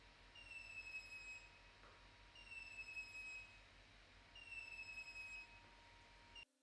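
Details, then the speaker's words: Kingroon KP3S 3D printer mid-print with a newly added filament sensor, filament cut: three high steady beeps about two seconds apart over a faint hum, the filament runout alarm, before printing stops. "okay it has been triggered you can hear the beeping sound"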